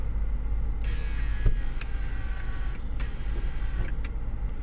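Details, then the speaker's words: Two-door Mercedes with a water-damaged central locking pump that was saved, operating the trunk release; low steady pump hum in two bursts with a faint click between, and the trunk opens; normal central locking pump operation. "you can hear the pump activated twice we'll go look at the trunk trunk is open as you can see"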